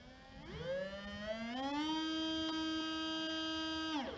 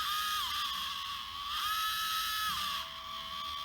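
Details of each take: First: RocHobby Katana RC crawler, new replacement RGT FF050 motor bench-tested after old motor caused vibration and squeal: spins up smoothly to a steady clean hum and winds down, no grinding or ticking; quiet, healthy motor. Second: RocHobby Katana RC crawler, old motor: thin high whine that steps up and down with throttle, vibrating and squealing through the plastic gearing; a new motor is expected to quieten it.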